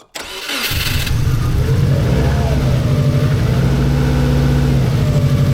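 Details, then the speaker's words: 1990s Japanese turbo AWD rally-bred car, barn find after over a decade stored, first start in a shed: cranks briefly, catches cleanly, settles into steady even idle with smooth low rumble, no knocks or misses; normal idle. "it sounds even better the sounds hitting the the far walls"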